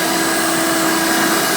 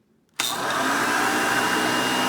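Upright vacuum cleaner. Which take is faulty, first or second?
first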